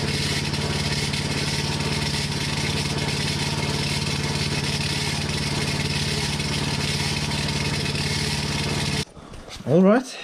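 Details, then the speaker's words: Hinowa tracked minidumper's gasoline engine runs steadily with a fast scraping rattle at constant speed. The engine-to-hydraulic-pump claw coupling was ruled out; something is hitting the big cooling fan inside its housing. "i know what the problem is now it's something hitting the fan"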